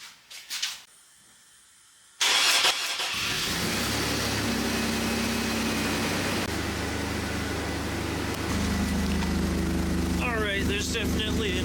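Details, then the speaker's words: 2002 Chevy Blazer 4.3L V6 Vortec, starting and idling after welding in a new exhaust system, with an uneven puffing tick from an exhaust leak at a poorly sealed clamp joint. "exhaust leak and I think it's from right here. So, that clamp, that clamp is absolute garbage. And it didn't clamp that together."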